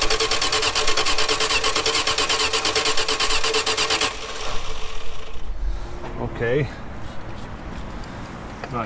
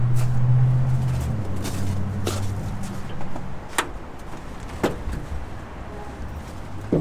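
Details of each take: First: 1946 Dodge Deluxe with swapped V8 running off its own fuel pump for the first time: runs fast and rough about four seconds, then dies abruptly; stalling after fuel spraying then stopping, owner wondered about stuck floats. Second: 1946 Dodge Deluxe with swapped V8 on open headers, fed from a gas can: deep, loud burbling rumble that settles and fades with a few light ticks; normal running, though a loose fuel fitting sprayed fuel.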